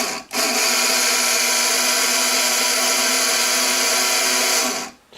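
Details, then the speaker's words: Vent fan permanent-magnet DC motor pulled from a trailer, run on bench power before repair: loud harsh high-pitched whir with rough hiss; worn noisy motor, owner plans to grease and tighten the bearings. "that probably sounds like your ceiling fan or your vent fan in your trailer. Most of the older ones sound like that, don't sound too good."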